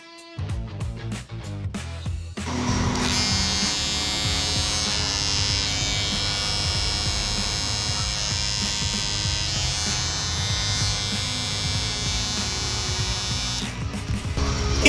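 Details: Barber's hair clipper after a trick meant to cut its loud motor noise by about 40-50%: a steady, even buzz with no rattle or harsh edge, music behind it. It runs normally and quietly.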